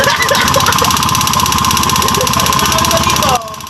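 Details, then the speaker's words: Honda Beat FI scooter whose engine suddenly became very noisy. Loud, busy, uneven mechanical clatter of about four knocks a second over the running engine. A connecting rod fault was suspected; source unconfirmed. "Okay, so ayun nga, ang tunog naman talaga nga ng makina niya ay napakaingay. So possible nga talaga na may katunog siya ng connecting rod."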